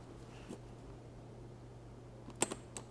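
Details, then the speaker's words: Heater monovalve from a 1981–1991 Mercedes (W123, R107, W126) bench-tested with 12 volts applied: faint mains hum, then sharp clicks as the plunger snaps down; valve works internally, the fault is the seal. "And when 12 volt is applied, this moves inside here. Okay, let's see what happens when I apply 12 volts here."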